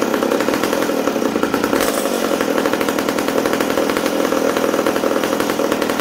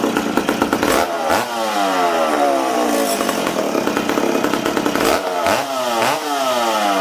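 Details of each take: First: McCulloch Super Pro 70 chainsaw after fuel tank repair, restarted after running too rich, indoors: crisp, steady high-revving two-stroke buzz with even firing throughout; the saw is running clean and healthy. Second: McCulloch Super Pro 70 chainsaw, reassembled after a fuel tank repair and run on 45:1 mix. It burbles and stumbles, revving unevenly, before clearing and climbing. The low-speed needle is 1¼–1½ turns out, tuned for -20, so it runs too rich indoors.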